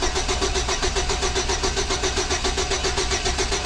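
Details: 2006 Chevy Silverado with every ignition part replaced, cranking: steady starter churn about four pulses a second with no catch or firing; no spark, coil has power but no control signal, ignition module suspected bad.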